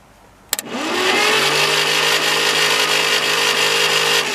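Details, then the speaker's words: Straight-8 (Packard or Buick, pre-1955) engine after valve and seat grind, cranked on starter in neutral trying for oil pressure: fast steady starter whine with hardly any compression beats, no start; very low compression. "oil pressure I had very low compression"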